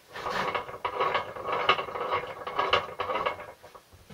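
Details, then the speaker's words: Land Rover Series 3 gearbox being rebuilt, turned by hand after layshaft shimming: uneven scraping, ratcheting rub about twice a second; suspected constant gear rubbing on protruding bolts of the layshaft bearing carrier, larger washer planned. "I'm pretty sure from previous investigation off camera, what that is a constant gear up in there rubbing on the back of the lay shaft bearing carrier. There's some bolts that stick out slightly, so we probably need to put a slightly larger washer in."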